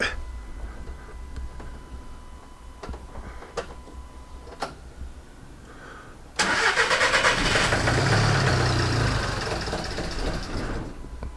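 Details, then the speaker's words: VW Caddy diesel van started after fault diagnosis, owner suspecting a blocked EGR valve, with a funny exhaust smell: a few clicks, then a rough, lumpy idle for several seconds that sags and fades; engine stalls after starting. "boom that is a problem let just check the exhaust see if there's anything coming out the back yeah there is a fun a funny smell so I reckon that's what it is"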